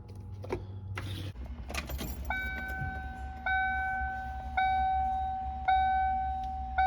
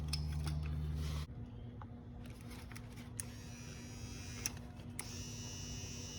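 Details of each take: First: 1995 Ford Mustang GT power window, in the door after aftermarket stereo wiring: short electric motor hums repeat about once a second while the window won't roll down; window motor failed, confirmed bad on the bench. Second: 1995 Ford Mustang GT spare power window motor bench-tested before install, replacing a failed one: short smooth electric whir at steady pitch, stops cleanly; good motor, window works once fitted.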